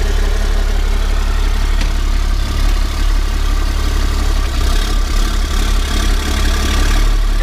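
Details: 1991 Ford F350 with CAT 3126 diesel swap, after new oil pump install fixing hard start: steady, even diesel clatter at idle with deep low rumble, no knocks or misses; engine idling smoothly.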